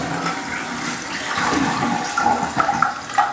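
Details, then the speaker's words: Toilet flush and refill after replacing squealing fill valve with new Fluidmaster universal valve and adjusting water level: clean flush then smooth even refill hiss, no squeal, no leaks; fixed. "All right, guys, so no more noise. Everything flushes correctly, no leaks, more importantly, right?"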